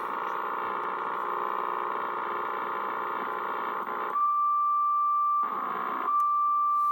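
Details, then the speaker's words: Drake R4B receiver calibrator whose hum comes from AC ripple on the -80 V supply. With a 330 µF capacitor temporarily jumped across the bad 1000 µF filter capacitor, the rough buzz gives way to a clean, steady tone near 1 kHz. "so that was only a a uh three i think a 330 uf capacitor and it made a big difference"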